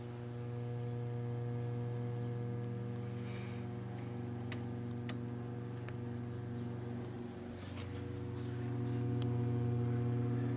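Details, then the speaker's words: High-hour 1967 RCA color television, AM/FM stereo amplifier section switched on: constant low hum with buzzy overtones and faint crackles. Amplifier hum fault under repair. "pull on why do I get no light oh sounds like we're getting hum"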